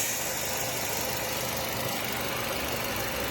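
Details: Nissan Y12 petrol engine idling with a steady, even hum, no misfire, after new spark plugs and repairing the coil wiring (confirmed on scope); normal idle.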